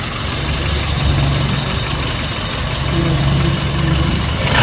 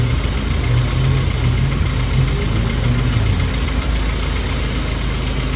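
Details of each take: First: Classic car engine just started after checking spark plug tops are tight. It runs flat and uneven with a miss off the rev range; ignition timing retarded. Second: Classic car engine at a steady, even idle that holds speed without hunting, after the idle mixture screw was set by ear. Before, it was too lean (about 1.03-1.05) and struggling; now about 0.93, and idle stays up. Normal idle.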